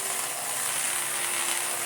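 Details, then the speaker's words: Restored Electrolux D820M (Lux 1 Royal) vacuum with air-driven turbo brush tool: steady high buzzing rasp with fast ratchet-like rattle, grinding but still spinning; well-used tool sounds terrible but works. "I mean, it sounds terrible, but it works."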